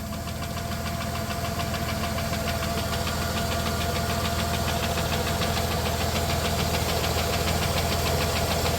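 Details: 1993 Plymouth Grand Voyager SE, revived after 18 years parked, warm day around 41°F: fast, regular light ticking, a couple of beats a second, over a steady idle; top-end tick, cause unconfirmed, no leaks found underneath.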